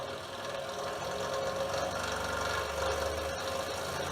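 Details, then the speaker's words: Repaired DeWalt scroll saw, reassembled, powered on and sped up: quiet, even mechanical buzz at a steady fast stroke rate with no knocking or unexpected noise. "You can notice how quiet it is, and as I speed the saw up, you'll notice that we're not picking up any noise other than what we would expect."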